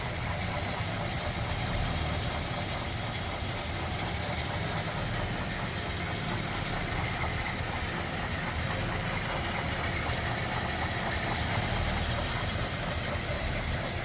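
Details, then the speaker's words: 1941 Ford Super Deluxe convertible, flathead with single carb and 6-volt system, idling with hood open; smooth, steady low rumble, no skips, knocks or hunting, running well. "Pretty stock looking underneath there too. Smooth, running, flatty."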